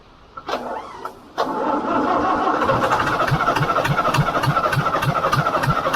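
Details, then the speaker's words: International B414 four-cylinder diesel tractor after sitting 20 years, started with ether on old sludgy oil: a few coughs, then a steady, even chug of about three beats a second; normal diesel idle. "oh that's brilliant it doesn't actually sound too bad once it gets running but it took a bit of winding over I had to throw some ether at it"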